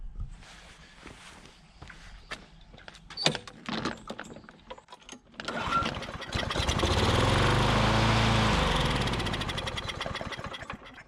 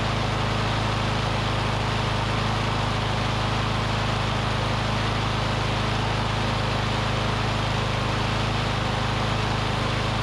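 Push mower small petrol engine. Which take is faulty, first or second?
first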